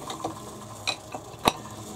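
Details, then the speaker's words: Kneeless milling machine whose whole head winds up and down the column, Z-axis power feed running: light, irregular gear ticks and ratchet-like clicks over a quiet background; head feed turning over normally. "this power feed on the z axis you can hear it rotating now it just takes all the hard work out of it with this mill"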